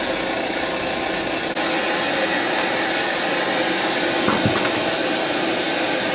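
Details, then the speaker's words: Sony EVS-7000 video deck with the bottom panel removed: a steady, even hiss with no rhythm on the audio, louder with the panel off; audio noise, cause not yet found, later traced to one bad capacitor in the audio circuit. "listen to the sound the same was when i closed the drawer the sound gets louder if i remove the bottom panel almost making it sound like something is it getting interfered with"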